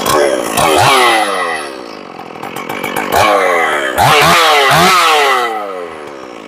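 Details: Stihl 461 chainsaw after cylinder porting, new Caber rings and repaired spark plug hole, first start: snaps to a high scream and drops cleanly to idle with crisp response, no bogging; carb set close, air filter dirty; runs strong.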